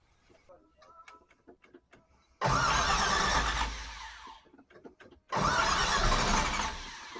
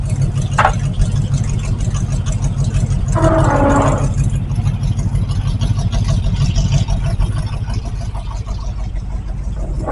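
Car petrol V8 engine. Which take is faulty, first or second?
first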